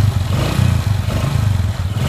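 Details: Honda Supra X 125 single-cylinder after repairing a rough-engine noise blamed on a worn connecting rod: revs blip up and down with a steady, even beat, no clatter or knock; engine now runs smooth.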